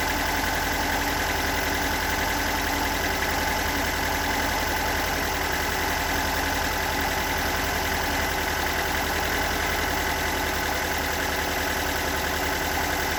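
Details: Stock unmodified bigport blue-top 4AGE in a Toyota AE86, about 195,000 km on the swapped clock, regularly maintained: uneven, lumpy rough idle with a light irregular knock about three to four beats a second; owner cannot locate the cause.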